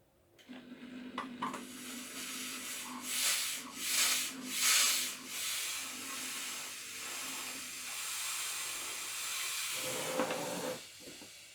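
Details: Vax floor steamer running a 50% vinegar descaling solution: uneven sputtering hiss in surges rather than a strong steady jet; weak steam output, owner suspects limescale and the softener filter.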